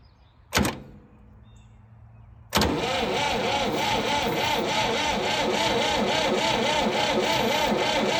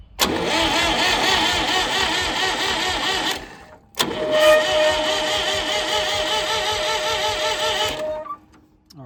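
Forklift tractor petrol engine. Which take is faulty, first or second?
first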